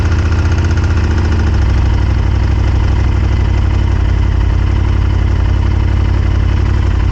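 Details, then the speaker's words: 1998 Honda Superhawk whose engine kept locking up, now running after the carburetors were cleaned, fed from an IV fuel bottle and warming up with steam from the exhaust: an even, steady low idle with no misses or surging; normal idle. "it wouldn't do this before so this is definitely a good sign sounds good sounds healthy"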